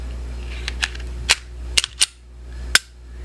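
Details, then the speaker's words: Glock 42 after McNally trigger install: several crisp sharp clicks at uneven intervals while pulling trigger, no grit; clicking means installed correctly. "pull the trigger and here rattle if your rattle it enough the chickens will come okay because that's what it sounded like click another chicken"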